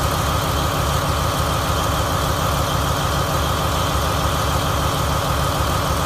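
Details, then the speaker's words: 2017 Marathon 2250 kW MTU diesel standby genset, 1800 rpm, 60 Hz, new condition with about 3 hours' runtime, run on a temporary diesel tank: deep, steady, even idle with no knocks or misses; checked out normal, running properly. "Checked it out. Everything seems to be normal and running properly."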